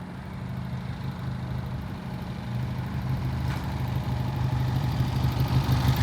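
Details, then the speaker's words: 1967 Triumph twin after pilot jet cleaning, ridden toward microphone at steady throttle: even, clean exhaust beat, no misses or rattles; shifts and accelerates smoothly, normal running. "This is one of the smoothest running bikes we've ever had. I mean, she shifts up and down smoothly. Acceleration is beautiful."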